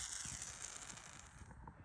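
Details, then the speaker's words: Elegoo Neptune 4 Max extruder, new bearing just installed (old gear worn at about 1,000 hours), turned by hand: quiet light ticking, no grinding or catching, spins freely like a skateboard bearing; smooth extruder gear rotation. "It's like a fucking skateboard bearing now."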